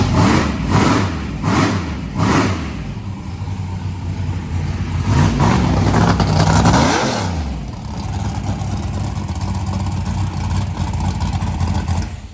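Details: Turbo hot rod on its first start, with a 36-1 crank trigger and methanol fuel, about three pounds of fuel pressure. After a few blips it revs cleanly and settles to a steady idle. It sounds healthy.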